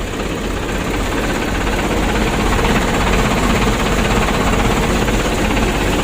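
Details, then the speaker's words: Mitsubishi 120 PS Ragasa diesel, morning cold start after slightly long cranking: uneven idle with shake and clatter about two beats a second under heavy rumble, vibration reaching cabin; mechanic attributes partly to age, cause unclear. "getaran mesinnya sampai ke kabin Tetapi menurut saya tidak begitu parah teman-teman ya ya faktor usia juga"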